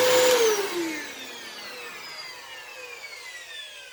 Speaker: well that motor does sound pretty rough on wind down but as far as the motor itself it actually doesn't sound nearly as bad as i thought it would